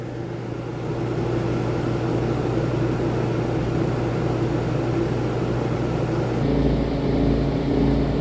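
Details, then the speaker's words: RV rooftop air conditioner heard from inside after a fix: two fan bolts that had fallen out of their rubber grommets were refitted, and the earlier rumbling and knocking is gone, leaving a smooth, even hum and airflow. "let's check the inside the RV AC [Music] on sounds beautiful"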